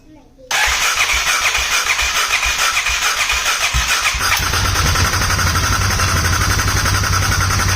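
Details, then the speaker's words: Polaris Sportsman 570 (ACE 570) first start after rebuild, cam chain tensioner left loose so most oil poured out, airbox lid off; fast busy idle with light uneven tick, owner suspects knock or tick, possibly air intake, unconfirmed. "I just want to hear this motor run for a minute it almost sounds like um uh almost like it's knocking or there's a tick"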